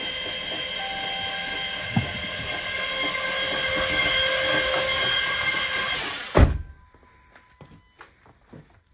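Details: Newly installed starter cranks the Mopar 11 Charger engine, which had been hanging up near the top by hand, at a steady even whine for about six seconds before stopping with a thunk; it has compression. Healthy cranking.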